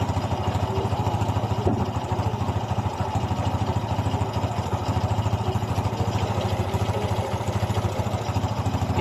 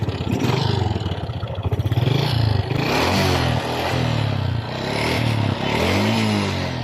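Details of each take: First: Honda XRM 125 single after reboring and piston replacement to fix piston slap and white smoke: an even, steady low putter at idle with no knock or slap underneath, running smoothly. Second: Honda XRM 125 motorcycle with white smoke from the exhaust, repeatedly run low on oil: a hollow, rapid clattering knock from the cylinder block that rises with revs; worn piston slapping in the bore.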